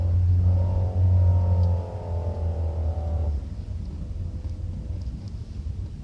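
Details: Citroen C4 with 55k miles; heavy rumble with a layered whining drone from the front/under the car, mostly in 1st and 2nd gear when accelerating or decelerating around 1500+ rpm. It is silent with the clutch pressed and fades off load, with slight whine since a gearbox oil change.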